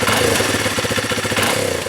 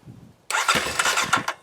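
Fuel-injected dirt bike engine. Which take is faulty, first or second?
second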